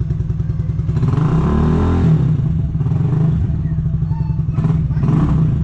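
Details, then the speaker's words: RPS Condor Honda Grom clone, 150cc single-cylinder, first start after purchase: quick even pops, then revs climb and flatten off at the rev limiter; sounds healthy. Normal revving. "yeah that's the limiter so when I'm driving going to go past that sounds good"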